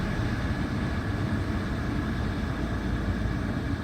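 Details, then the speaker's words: Volkswagen GTI with a brand-new professionally installed crate engine, probably under 200 miles, after a side collision: low, even idle rumble with steady beat, no knocks, ticks or misfires; healthy idle. "problems with this motor absolutely zero it's brand-new crate motor it's probably less than 200 miles on it"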